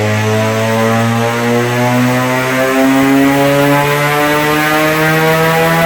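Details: Mazda FC3S RX-7 rotary on the dyno: loud buzzing note climbing steadily through a full pull with an even rapid firing beat; healthy under load.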